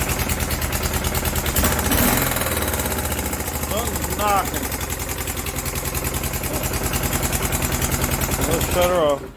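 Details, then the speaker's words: Kawasaki Prairie 360 4x4 ATV found with no oil, now running with no smoke: rapid heavy knocking that tracks engine speed before shutdown. Owner suspects a bad rod or crank; unconfirmed. "So we're thinking it's probably got a bad rod in it."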